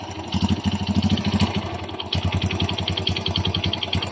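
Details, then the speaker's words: Kawasaki Bajaj CT 100 motorcycle engine at steady idle: quick, even metallic clatter on every firing pulse; timing chain slack, excessive clearance found on checking, chain replaced with a new genuine one. "ito actual na tunog ng timing chin ito pag-check guys gamit na kayo ng fl scroll tapos pisilinpisilin niyo kapag maluwag na ang clearance ibig sabihin law-law na ang ating timing chain"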